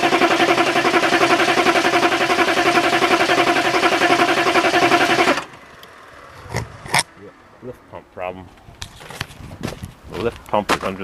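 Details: Diesel with a cold-starting issue, after filling the fuel filter: starter churns the engine at a steady beat for about five seconds, never catches; crank no-start, electric lift pump problem suspected.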